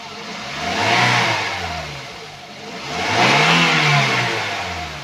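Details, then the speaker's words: 2018 Daihatsu Gran Max pickup 1.5, idle then free revving in neutral: two clean blips, revs climb and fall smoothly, no misfire, stumble or metallic knock; healthy engine. "ini udah kita geber kita blayer itu suaranya masih oke Masih normal aja enggak ada kendala juga mesinnya juga enggak brebet normal enggak pincang"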